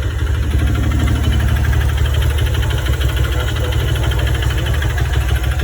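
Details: 150cc motorcycle, engine never rebuilt, noise appearing when coming off the throttle: steady low idle with a fast, even tapping on the exhaust beat; source not yet identified.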